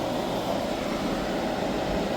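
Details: Hyundai portable AC after leak repair and recharge (it had gone warm after two weeks), on 16° max cool: loud, even rushing hum with a steady midrange drone, no rattles or squeals, running normally.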